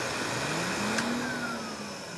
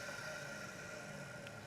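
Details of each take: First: K-9 force dryer from Electric Cleaner Company, front motor, case unopened: motor whine sweeps down as it coasts to stop with rough rumbling rattle underneath, electrical sparking heard earlier; bad front-motor bearings suspected – bearing noise. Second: Electric Cleaner Company K-9 pet force dryer, back motor run and winding down: quiet even whir with steady whine and slight growl, fairly normal carbon brush noise — normal motor run.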